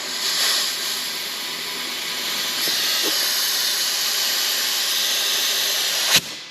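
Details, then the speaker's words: 800whp 2017 Subaru STI running 40+ psi, engine off, intake pressurized to about 12-13 psi for leak testing: steady sharp hiss of escaping air, soapy water bubbling; definite boost leak, not the blow-off valve as first suspected. "i honestly we found a boost leak definite boost leak i thought it was the blow off valve but"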